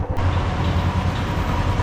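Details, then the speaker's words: Royal Enfield Classic 350: deep engine rumble with a dull khat-khat knock about every quarter second underneath, still present before riding off; the knock points to looseness at the rear axle. "अभी भी है ना अभी भी आ रही है sound cut cut"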